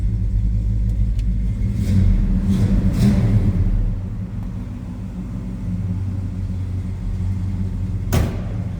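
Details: 1966 Chevrolet Chevelle SS 396 big-block V8, 4-speed manual: a couple of throttle blips then a steady low burble; deep, throaty, normal healthy exhaust note.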